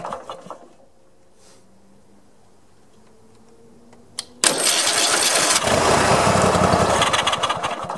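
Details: Mower after freeing a cap that was jammed against a loosening nut: near-silence, then the engine catches sharply at once and settles into a steady strong run without stumbling; normal start.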